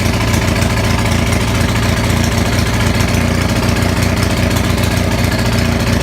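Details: Onan 6500 (6.5 kW) gasoline commercial generator, muffler missing, running with a severe misfire: loud, ragged, uneven beats, stumbles, popping and backfiring; cause found as a severely fouled spark plug, with spark present throughout.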